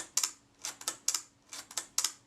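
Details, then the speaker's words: Retina IIIc shutter being serviced for stickiness, speed cam plate lubricated with molybdenum paste: crisp double clicks only a blink apart at the one-second setting. The slow speed runs too fast; the fix is moving the gear train toward centre for more cam engagement. "well that's too fast for a night so i've got to make an adjustment to that speed and i'll do that now"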